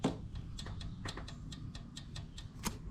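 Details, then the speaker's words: 3.6L Pentastar, cylinder number four: a loose intake-side rocker arm rocked by hand gives sharp irregular metal clicks; excess valve train play blamed for the misfire, and the exhaust side also shows play, before rocker arm and lifter replacement. "You can hear the play on the intake side, which that's going to account for your misfire. These are loose."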